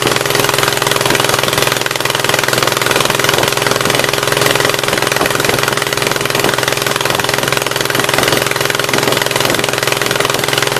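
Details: 1976 Gravely 816 twin restarted after a dose of penetrating spray (Blaster): uneven, lumpy running about three beats a second, the left cylinder catching only partly, a partial misfire on that side.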